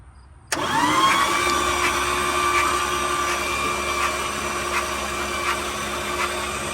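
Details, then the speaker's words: 1970 Dodge D100 383 big block, sat 30+ years, on a jump box: starter spins in a steady whine with faint even ticks but never fires; no spark because the points aren't closing. "No spark. Doesn't make contact."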